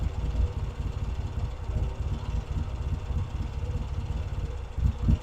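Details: Vintage British motorcycle rebuilt from boxes, pilot circuit now working properly: low, loose single-style thump at idle, slightly uneven, wind on the mic, keeps running on its own; normal idle.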